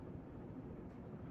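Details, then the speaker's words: Newly installed Encon "Bouquet" ceiling fan with the blades reconfigured after wobbling in the four-blade setup: only a soft, even whoosh from the blades with no clicking, rattle or hum; runs quietly and normally. "not making any noise that I can hear besides the blades I think it was just for some reason something was going on"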